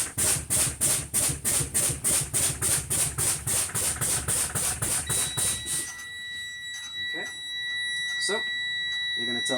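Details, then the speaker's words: CDL Class B truck low air pressure warning test, pumping the brakes down from 125 psi: at 60 psi the wigwag dropped, the red dash light came on and a buzzing alarm pulsed about 3.5 times a second for six seconds; warning works. "I pumped the brakes at 60 PSI the wigwag dropped the alarm sound and the red light came on the dashboard"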